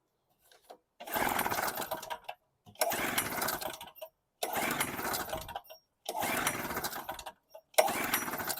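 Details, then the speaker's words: Storm Cat 700 W portable generator, 63cc two-stroke on 50:1 mix, catches and runs about a second before dying, five times in a row; unvented cap/vapor lock considered but doubted, fuel line and tank being checked. "Same thing, start and stall."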